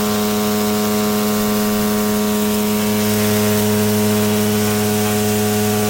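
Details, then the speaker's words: Daikin VRV3 inverter compressor hums and vibrates with a steady low buzz but does not compress; the pipe is not hot and both pipes read the same temperature, so the compressor is not working. "Трубка должна быть горячая, а она не горячая. Температура в трубах одинаковая. Компрессор не работает."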